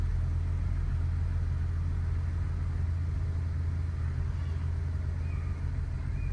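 Low idle rumble with an uneven, wavering beat that never settles into a steady rhythm; rough idle, cause not evident.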